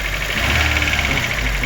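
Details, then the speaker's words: Daewoo Lanos 1.5 after head gasket replacement for coolant loss and no heater, lifters cleaned: smooth, even petrol idle with fan whirring, no misfire, no knocks, running fine. "все друзі якось так працює не троїть все чудово"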